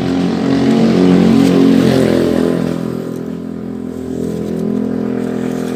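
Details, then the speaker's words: Jialing 85cc Chinese motorcycle running: steady knocking rattle about four a second, sounding like con-rod knock, disappears when clutch lever pulled; cause is loose clutch nut, fixed by tightening. "jadi masalahnya hanya sedikit saja ya kalau kita kedengaran tadinya kalau kita dengar dari luar itu seperti bunyi root atau stang seher ya jadi ini hanya bunyi biji deh"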